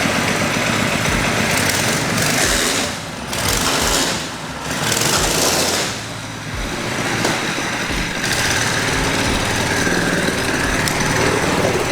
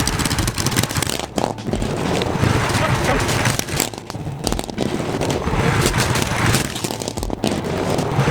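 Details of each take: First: Baja Warrior mini bike build, muffler shield removed, starts right up: loud rapid single-cylinder crackle rising and dipping with throttle blips, firing steadily without cutting out; runs healthy. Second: Baja Warrior mini bike, first test run: small single coughing and stumbling with uneven bursts and dropouts about three per second after choke engaged following a choke-off start; sputtering running.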